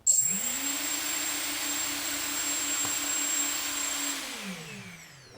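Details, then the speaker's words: FPV quadcopter with FrSky D4 receiver, failsafe just set with throttle at bottom: motors whir up to a steady high hum for about four seconds, then spool down together as signal is lost. Normal failsafe motor cutoff. "and then now when you fly your motor should cut off when you lose"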